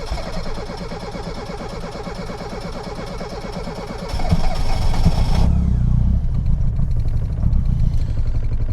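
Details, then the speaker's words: Reliant Robin Mk2 21st anniversary edition with the choke cable sitting halfway out cranks long and unevenly, then idles lumpy and surging, not firing on all four cylinders at first; hard starting and rough running, cause unconfirmed. "That's hard to start, and it's running a bit lumpy, a bit rough. Can't tell. Come on. She's not happy."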